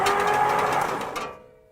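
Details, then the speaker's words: Old starter of a 1963 Ford Galaxie 500 (long-shaft bendix type), fed 12 volts directly at its terminal with the rusty solenoid bypassed. A short free-spinning whine with no bendix clunk: the bendix drive is not engaging. "listen to it it's pushing but you don't hear the bendex moving you don't hear anything with the bendex popping off of it which it should be doing"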